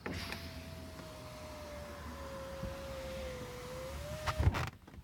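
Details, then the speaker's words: Tesla Model X driver-side front power window after service center repair: motor hums smoothly rising and thumps to a stop, no howling on the way up that it previously made; normal operation. "it will not make any howling noise if they fixed it on the way up"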